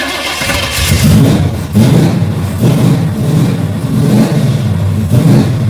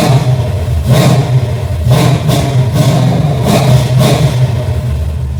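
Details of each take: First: Holley carbureted engine, rebuilt carb, fuel pressure fluctuating about 7 to 10 psi with cheap regulator: lumpy idle surging and sagging about once a second, won't stay idling; stalling. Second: Engine with a rebuilt Holley carb and a replacement fuel pressure regulator, on a cold start. Even low-rumble idle, then several sharp, clean throttle blips that rise and drop quickly; normal idle and revving, fixed.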